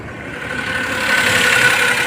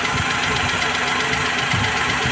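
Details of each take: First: Maruti Suzuki Alto 800 petrol after the cylinder head was refitted to fix a dead cylinder 2: idles steadily with an even hum, no knocking or stumbling, all cylinders firing. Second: Maruti Suzuki Alto 800 petrol engine idling unevenly with irregular low thumps; misfire traced to one cylinder (cylinder 2), with a faulty valve suspected.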